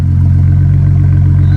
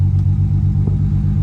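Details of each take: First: 2007 BMW E92 335i idling after installing a replacement ignition coil to fix the cylinder 5 misfire: steady, even low idle, no stumbles; misfire gone, looks fixed. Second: 2007 BMW E92 335i, restarted after clearing codes, with cylinder 5 misfire code appearing after a hard pull: deep, lumpy idle with uneven dips; check engine light returned at once; cause found to be a faulty ignition coil.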